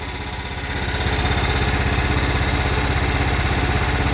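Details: Cub Cadet 1330 lawn tractor after removing a plastic piece blocking the fuel tank outlet: steady, even single-cylinder putter at a fast idle with no knocks or misses; normal running.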